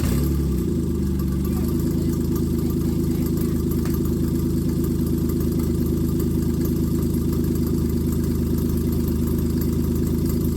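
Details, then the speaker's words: 1995 Plymouth Voyager 3.0 V6 after the distributor was re-clocked to fix ignition timing: steady low even idle with no exhaust roar, the longest it has run, heard from behind the van; radiator may leak, thermostat appears to open; normal idle. "It's not so loud from back here. But longest we've had it running. That's for sure."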